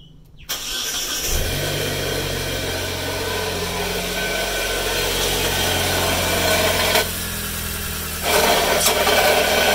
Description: Alternator creating noisy sound. Replace it!